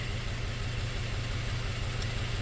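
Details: 2004 Toyota Tacoma 4-cylinder, 141,000 miles, idle after swapping injectors between cylinders: uneven, stumbling pulse with a recurring skip. The misfire followed the injector, confirming it stops working when heat-soaked.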